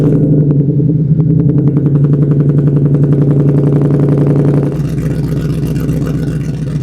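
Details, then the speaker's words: Old pickup truck with no mufflers, recorded at the exhaust tip, started and revved: loud, raspy exhaust pulses at a fast even beat, then settling lower; very loud at higher rpm and droning at cruise, resonators to be fitted. "So, when it starts at higher RPM, it kind of is really loud and it actually ends up uh being not way uh when you're cruising down the road, it sits right in that droning loud spot."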